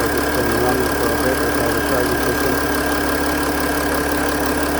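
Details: 2008 Mercedes-Benz ML320 diesel just after alternator replacement, charging at 14.9 V, glow plugs likely still cycling: steady even diesel clatter with constant hum, no misses or surging; healthy idle.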